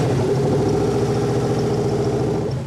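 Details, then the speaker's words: '98 Chevy Blazer 4x4 with swapped used LS1 engine, first start: fires and holds a lumpy idle about three seconds, then sags and dies; anti-theft lockout, PCM not yet programmed. "But for only about 3 seconds. You know what that is, don't you? Anti-theft."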